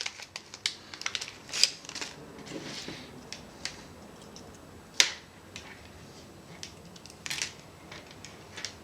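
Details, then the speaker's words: Yashica Electro 35 GSN manual shutter mod with 470 kΩ resistor giving about one second (1.08, 1.01 s measured): crisp clicks about a second apart between opening and closing snaps; slow speed timing correctly. "so I would say that for one second the appropriate resistor for this particular camera is four hundred and seventy thousand ohms"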